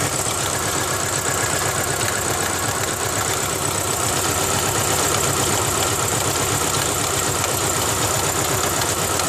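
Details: 2000 Ford Ranger XLT 2.5L barely idling, dies in gear: rough uneven idle with a fast loose slapping rattle, about four per second; owner suspects the timing belt slapping the timing cover.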